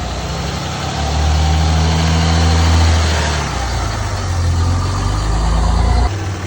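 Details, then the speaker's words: 2005 Dodge Ram 2500 5.9 Cummins that had been sputtering and stalling with DTC P0203, after cleaning an oil-soaked injector connector: it idles steadily with a brief rev and no sputter or stall. The problem may return until properly fixed. "gonna have the owner go start the truck, see if it runs any better. That's good. Sounds like it's supposed to."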